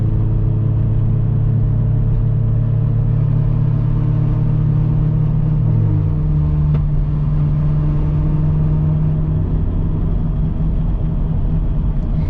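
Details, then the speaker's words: Worn Subaru Impreza with no cats or muffler, cruising at about 45–60 mph: steady low droning hum of constant pitch under road rumble, worse once warm and fading by 70; wheel bearing noise. "This car kind of encourages me to speed, because the wheel bearing doesn't start making noise till about 45 to 55, sometimes even at 60."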